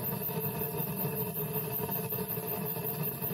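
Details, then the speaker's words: Waste-oil rocket stove modified for better airflow, draft set: steady low chugging roar with an even pulse, no sputter; burning waste oil cleanly, normal. "chugging along pretty good. You can hear it and you can see the fire. And that's just waste oil going up there."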